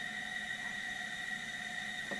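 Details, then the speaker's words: High-mileage Alfa Romeo MultiAir engine, lowest-compression cylinder at TDC compression stroke, leak-down test with engine off: steady loud hiss of high air escape, felt coming back up; head gasket leak confirmed, head removed to replace gasket. "There we go. High. So we've got high escape. And it's really loud."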